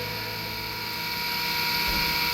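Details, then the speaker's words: LG 10kg washer / 7kg dryer after blown main PCB power fuse repaired (suspected cause: semi-auto detergent foam shorting): dryer blower runs with steady, even whir and constant high hum, no scraping or knocking, heating works; normal blower running. "is working. Blower also working."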